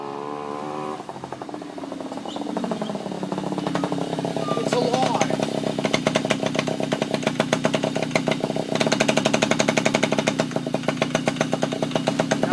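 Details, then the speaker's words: Yamaha Chappy two-stroke moped after HPI system install, just started after flooding, choke being taken off: fast, uneven rattling beat with ragged firing, running rough; owner suspects too many grounds, cause unconfirmed. "Take it off, choke. Doesn't sound right."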